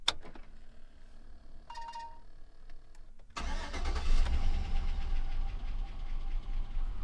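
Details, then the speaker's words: Chevrolet Silverado V8 started by key from outside the cab after the mass air flow sensor was reconnected (it previously needed throttle to stay running) and the radiator was installed: quiet clicks, then a clean catch and a steady idle on its own. Normal start and idle. "Wow. Look at that. Truck runs great. It's idling by itself."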